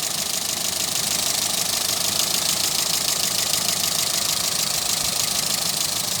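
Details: Toyota Etios idling: a busy, hissy clatter with a loose, repeating tap about three times per second. Abnormal engine noise, cause unknown.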